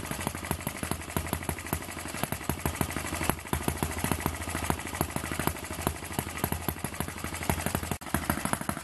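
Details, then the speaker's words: Eachine ET8 horizontal four-stroke model engine after the final mod of added mass to smooth running; a quick, even ticking clatter at a constant pace with no stumbles or surges, now running steadily. "He's running nice and steady now. No dancing around."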